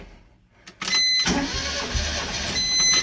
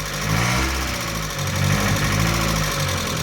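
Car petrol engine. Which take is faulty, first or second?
first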